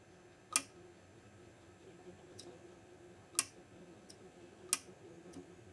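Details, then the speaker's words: Kubota V2203 diesel shutoff solenoid bench-tested with 12 volts, cap off: sharp single clicks a second or more apart as it snaps over cleanly; it will control run and stop. "Well, the good news is we'll be able to control the run and start, or run and stop from the solenoid."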